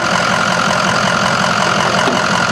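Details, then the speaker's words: 6.0 Power Stroke V8 diesel in a 2006 Ford-based Medtec ambulance with 83,754 miles, hood open: an even, steady diesel clatter at idle with no knocks or misses; it sounds great with nothing unusual. "You can hear that it sounds great. Everything looks great. Nothing weird, nothing odd, nothing unusual."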